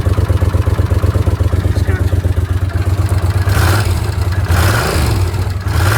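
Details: Honda CX500 twin with an even, steady idle, then clean throttle blips that rise and fall smoothly; no knocks or misses; battery charging measured at 14.2 volts; the engine sounds healthy.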